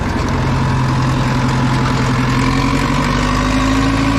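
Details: Old Caterpillar 955L track loader, diesel, started after sitting unused for many years: deep steady idle with an even beat and no knocks or rattles; starts surprisingly well, normal idle.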